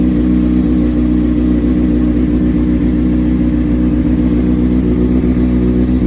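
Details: 2003 Honda CBR600RR with Yoshimura slip-on, sat about three years, cold start on jump box: fires right up, steady even four-cylinder note with deep exhaust drone, no knocks or misses; normal idle and revving.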